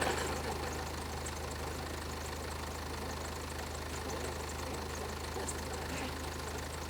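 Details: BMW M Sport Tourer diesel at idle: quiet uneven metallic rattle over the clatter, the sort a failing timing chain gives.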